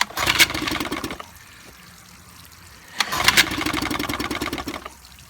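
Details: 1955 Evinrude 7.5 hp fleet twin outboard, with new coils, replacement carburetor and single-line fuel conversion, pull-started after plug wires were swapped; two short ragged bursts of about a second each, then silence; it catches but won't keep running.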